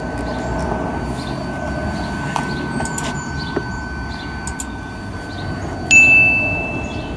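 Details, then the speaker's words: Car parking sensor test with ignition on and reverse selected: steady warning tone changes pitch when touching this sensor, but the sensor itself makes no clicking, suggesting it is faulty. "this one nothing but there is a change in the tone so this one I believe is the 41 it's not making the clicking noise"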